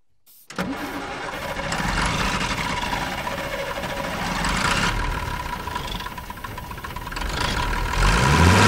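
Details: TK Bedford crane truck, Perkins 6354 six-cylinder diesel not run for 20+ years, after bleeding air from the fuel system: catches after a short crank and settles into a steady, even idle, no misfire or knock; running smoothly.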